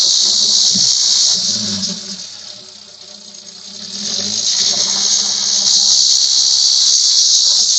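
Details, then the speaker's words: Engine under hard revving, heard from the front of the engine bay: a loud, steady, high-pitched metallic hiss from the turbo that fades and swells with the revs. The customer heard it on acceleration, and the turbo wastegate is stuck shut. "तो उस condition में गाड़ी से engine के side से metallic नॉज स करके एक आवाज आ रहा है तो मैं एक बार रेस करता हूं"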